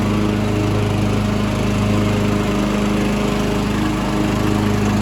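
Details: Mastercraft hydrostatic 16 hp, 42-inch lawn tractor with Briggs & Stratton Intek engine, started with a little gas: steady, even single-cylinder drone at constant speed, no misses, knocks or rattles; normal healthy running.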